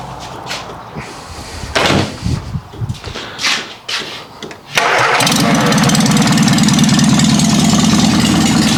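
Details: 1955 Morris Minor with engine and gearbox just installed, ignition reset to firing order 1-3-4-2: cranks, catches, then runs loud and raw with no exhaust because the downpipe is missing. Open exhaust.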